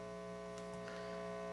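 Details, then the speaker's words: Restored organ tube amplifier on an isolation transformer, heard at higher volume: steady low 60 Hz buzz with higher overtones, far more than the other amp, and only barely audible at low levels; excessive mains hum, source not yet traced. "this one amp has a lot more noise significantly more that's too much that is too much no one wants to listen to that"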